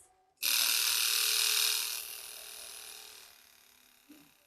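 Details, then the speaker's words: Yamaha R1, carbureted, off road about 5 years, electric fuel pump fed from IV bottle: sudden high-pitched whir that softens and drops as fuel fills the line, then cuts off; carbs then leak fuel. Fuel pump priming. "That was a good sign. I can see fuel is now being pumped through here and the the noise of it changed."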